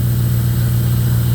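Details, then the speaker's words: 2002 Jeep Grand Cherokee 4.7 HO with a coil-melting problem, restarted after an unplugged coil had left it on seven cylinders: steady, even idle with no misses, all eight cylinders firing again. "All right, start her back up. And we have all eight cylinders."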